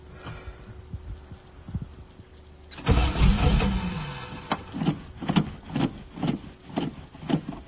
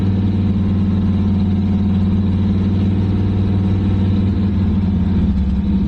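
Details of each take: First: 1985 Chevrolet Camaro IROC-Z Z28 abandoned 10+ years in a field, restarted on carburettor fuel after tapping a possibly corroded starter: cranks, catches, revs, then steady pulsing run without knocks or misses; running normally. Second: Abandoned 1985 Camaro IROC-Z Z28, sat over 10 years in a field: fast, steady high idle with deep even drone, then dies because the fuel pump was not switched on.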